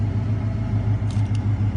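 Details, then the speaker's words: 1993 Ford F150 after replacing the engine computer to cure an idle surge: a steady, even low rumble with a regular pulse of four to five beats a second and no hunting. Healthy idle, with the suspected fault being compromised capacitors in the computer. "So after replacing the computer, it made a world of difference."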